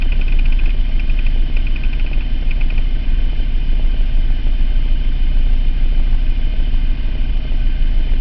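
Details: 2003 Mitsubishi Eclipse GT 3.0 V6, 92k miles, P0300 random misfire since 70k only at idle; plugs, wires, cap, rotor, air filter replaced, compression and injectors checked, no vacuum leak found: low idle swells and sags, hunting idle with random misfire.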